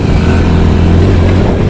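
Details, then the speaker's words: Hero Splendor motorcycle, second gear under heavier throttle: engine hums low and steady with an uneven rattling "kat-kat" pulse and jerking as the gear slips out; fine at 20 km/h, first, third and fourth gears OK, gearbox fault. "तो यहाँ पर ये इससे cutter cutter cutter की आवाज़ आ रही है। देखिए झटके मार रही है, देखिए देखिए"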